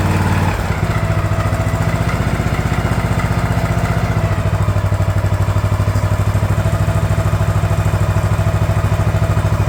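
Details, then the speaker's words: DR all-terrain mower, Kawasaki FV420V engine revived after sitting for years: after oil change, cleaned carburetor and new air filter, a few seconds of uneven firing as the carb bowl fills, then a steady, even beat with no misses. "it runs even better now look at that"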